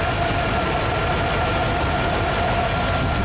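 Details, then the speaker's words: 1999 Chevy C3500 5.7L V8, brand-new replacement engine, 245,000 miles, custom exhaust, hot idle: slight uneven stumble, engine shaking slightly; scope shows consistent cylinder 6 classic lean misfire; intake manifold bolts to be tightened to test for leak. "it's pretty consistent not terrible like right there that's that's your classic lean lean misfire"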